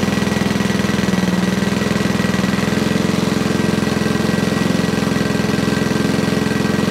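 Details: Sovereign lawnmower running after gunk cleaning: a steady low chugging beat with no rise in pitch; runs but won't reach full revs, carburetor bolt air leak suspected.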